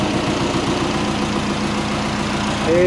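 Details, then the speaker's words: Built turbo Subaru Forester engine at its first start after a rebuild, with the pistons found to be the earlier problem: an even, settled idle with a steady hum and no ticking or knocking, the oil has stopped dripping, and it sounds much better; normal idle. "Hoops better and the oil has stopped dripping so either I fixed it or there's no oil in it but that sounds so much better"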